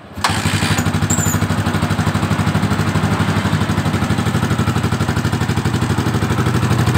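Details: Yamaha Vixion single-cylinder motorcycle at idle, rough-sounding engine: light, steady tick on each beat, about three a second, uneven idle; loose valve clearance.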